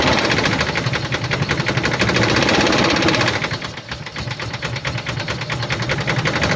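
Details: 2007 Dodge Ram 1500, 4.7 L petrol V8 (EVC, 238 PS), 290,000 km at idle: uneven, lumpy beat with a regular stumble each cycle; cylinder 1 dead with no compression, causing misfire.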